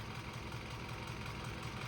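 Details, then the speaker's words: Mitsubishi L200 diesel after a major service, running smoother than before: a steady idle with an even rapid tapping of about five to six taps a second, with the hydraulic lifters suspected of needing adjustment. "there's there's two noises to it there's the engine sound and then there's the tapping of the valves obviously they're going to they're going to they're going to tap anyway so they're whacking against obviously the lifters"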